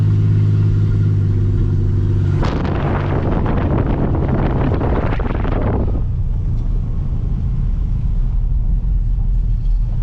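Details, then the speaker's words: 2004 Ford Explorer revived after sitting, driving with poor shifting: heavy, booming low roar swelling into a harsh blast on throttle, staying very loud; excessively loud exhaust, engine needs tune-up. "I'm going to try to shift it by hand and just see how far we can get this thing is super super loud"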